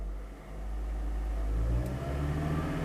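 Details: Toyota Prius hybrid in maintenance mode, parked in the driveway, engine RPM raised while watching scanner live data, no trouble codes: quiet smooth hum rising steadily with the revs, even and free of knocks or rattles; normal engine revving.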